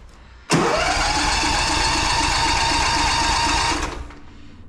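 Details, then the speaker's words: Small engine with auto choke, cold start after sitting all winter since last fall, battery left in, full throttle: steady cranking about four pulses a second for several seconds without catching; slow to start, cause unconfirmed. "these things are weird if you just keep that cranking probably won't start but if you let it sit and then crank it again"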